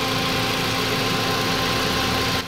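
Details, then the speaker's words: Toyota Vios 2NZ idling: strong steady hiss over the idle until it suddenly drops away; air leak from the brittle PCV valve hose at the intake manifold. "nadiskubre natin mga boss na singaw lang pala yung hose ng kanyang parch valve doon sa puno ng intake manifold kasi sobrang lutong na po ng kanyang hose"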